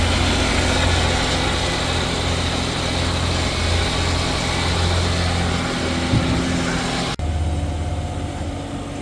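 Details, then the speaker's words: Daewoo/Chevrolet Damas van, about 39,000 on the odometer, 10W-40 oil, engine not yet warmed up; steady even idle with smooth low drone, no knocks or misses, healthy after piston ring job (kolsavat). "Mashina yaxshi, ko'nglimizdagidek chiqdi, xudo xolasa. Bundan keyin ham yaxshi yurib bersin."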